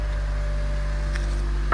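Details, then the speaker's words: Honda K24Z3 K-series engine just after DIY valve adjustment, first start before warm-up, heard outside: deep steady even idle, no top-end tapping, one brief knock near end; sounds healthy. "make sure there's no ticking in the valve. Sounds good."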